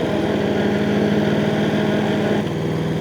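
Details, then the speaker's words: Hayter 48 PRO (479B) self-propelled mower with slipping, intermittent drive: engine runs steady with rough, uneven chatter when the drive is loaded while the belts still spin; gearbox teeth suspected stripping, gearbox replacement planned; gearbox grinding under load. "Now that's not the belts, because the belts are actually spinning. So if I engage it and lift it, it'll drive, and if I drop it, it stops. And that noise you can hear, I believe to be actually the gearbox."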